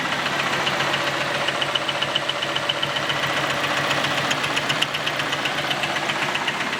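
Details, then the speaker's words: Camaro, first start after exhaust Y-pipe weld repair: fast, uneven metallic rattling knock over the idle, sharpening with revs; owner suspects loose connecting rods or crank journals, unconfirmed. "it's like a rattle it's a knock so that's what we really heard pronounced when I rev the engine that sort of like rattling sound"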